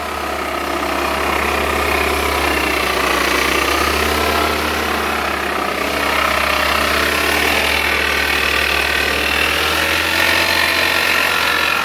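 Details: Toyota Altis with CVT gearbox, engine running with a thin, constant whine riding high above it, blamed on a worn CVT bearing.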